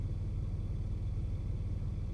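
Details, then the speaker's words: 1995 Nissan Maxima (A32) with intermittent rough idle, heard inside cabin after revving to 7000 rpm temporarily cleared it; low, even rumble with no shake or hunting, smooth idle for now. "The car is idling nicely, nice and smooth in here. No shaking, and I'll show you the exhaust."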